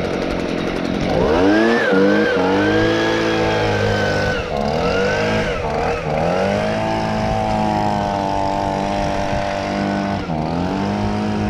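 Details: Stihl BG55 handheld leaf blower, two-stroke, with a new aftermarket carburetor and the idle adjusted: crisp buzz revving up and settling back with quick, clean throttle response and no stumbling; running properly.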